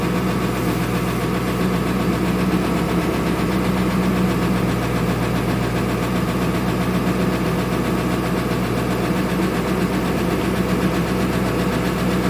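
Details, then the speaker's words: 2000 Ford Excursion 7.3 diesel, cold start after sitting, with fresh batteries; it is hard to start cold and a relative compression test shows it needs engine work: a loud idle with an uneven, stumbling beat as at least one or two cylinders drop out. Low-compression misfire. "you can hear the cadence of the engine there's at least one cylinder probably too better misfiring"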